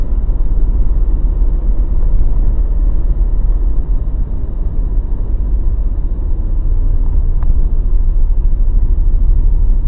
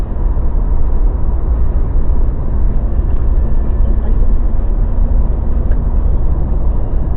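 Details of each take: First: Mazda BT50 after a shop replaced two of three driveshaft cross joints and the center bearing: heavy low rumble with loose irregular clunking, grinding, cracking knocks while driving; fix involved the upper ball joint and differential oil. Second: Mazda BT-50 pickup driving with a steady, even low road rumble and no clunking, grinding or cracking. Apparently after fixing the clunk that began once drive shaft cross joints and the center bearing were replaced.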